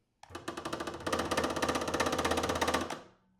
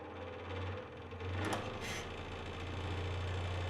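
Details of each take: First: DeWalt DW788 scroll saw: fast, hard, regular knock on every stroke over low motor hum, occurring once the blade is under tension and the saw is switched on. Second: Dewalt DW788 scroll saw after disassembly and knocking fix, blade tensioned; smooth, even low hum with steady blade strokes and no knock in the rhythm, running normally.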